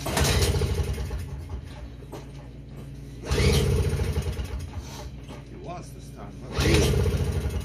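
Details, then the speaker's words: Toro CCR2500 5 hp snowblower that would not start, before carburetor cleaning, with a new spark plug and confirmed spark: three recoil pulls, each giving a short sputter that dies. It won't keep running, and a carburetor fault is suspected. "It's almost there. It's just not quite. You know. Didn't get far with the electric either."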